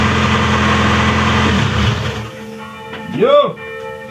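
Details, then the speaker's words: Ford "Moistang" project car engine (likened to half an American V8) starting after a pinched fuel hose was replaced: catches and holds a steady even run a couple of seconds; clean start, normal running. "Et voilà, c'est reparti, le moteur démarre, le moteur rugit comme un V8 américain. Enfin, un demi-V8 américain."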